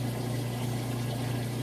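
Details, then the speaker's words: Whirlpool Super Capacity top-load washer during the rinse cycle, drain pump emptying the tub: steady low hum with even water-rushing and no rattles or surging, draining fully without problems; normal drain pump operation. "you don't have to worry about it so letting you listen to that you can hear drain it all out no problem"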